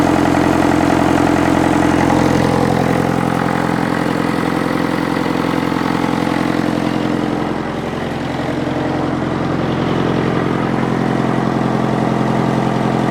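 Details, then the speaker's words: Diesel International tractor that sat for years in the weather, first start, air filter cover off so induction noise is audible, long exhaust pipe; even, steady slow idle clatter with no misses or knocks, running cleanly. "it's running pretty clean starting to starting to Chum a bit out now but it's just magnificent it sounds great I've got the cover off the air Fielder so you can hear a bit of induction noise"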